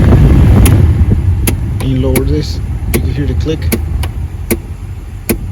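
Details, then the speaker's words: 2003-2006 Ford Expedition front heater blend door actuator, AC on, set to full cold: sharp regular clicks about every three-quarters of a second over low blower rumble. Clicking stops when the dial is moved slightly off full cold. Actuator faulty, being replaced. "same thing if you turn it to the cold all the way cold do you hear it but if you move it a little bit right here it'll go away"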